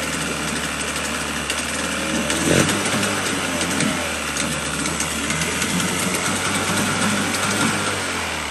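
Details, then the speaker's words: 1977 Evinrude 35 hp two-cylinder two-stroke outboard, ignition timing set manually: steady, buzzy idle with a quick popping beat and one brief stumble, holding a good idle mostly. It is untested under load; the telltale gives little water. "but the fact that it starts it runs it holds a good Idol mostly"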